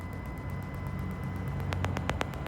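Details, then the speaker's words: BMW X5 E53 rear-left parking sensor, key on with reverse selected: faint steady ticking, louder clicks toward the end; this sensor is working, while the silent rear-right sensor has a corroded connector. "capteur arrière gauche écoute ... pops, travailleur, 2 écouter, pops, travailleur 3"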